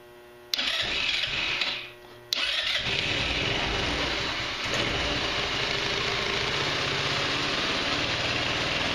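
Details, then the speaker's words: GY6 150cc Chinese retro scooter (Verano 150) after valve adjustment, on center stand, plastics off: brief crank then settles into a busy even idle with no valvetrain tapping; normal idle. "better it's not tapping I don't speak just oh I messed with it a whole lot rear wheel just a little bit worked out right on the idol sounds like it's running pretty"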